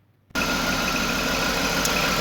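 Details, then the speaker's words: Jaguar X300 after retensioning the alternator belt by feel without a tension gauge; brief rattle at startup then idle with a faint steady squeak; accessory belt still slightly loose, owner may tighten more. "il y a eu un petit bruit de crécelle au démarrage mais là ça couine déjà quasiment plus on entend un tout petit Queen ment donc peut-être qu'il faut que je resserre encore un petit peu plus la courroie"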